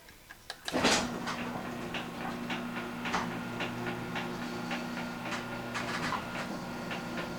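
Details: Garage door two years after green hinge system install, open-and-close test with decibel meter: steady low motor hum and light even roller ticks, no scraping or banging; quiet, healthy door.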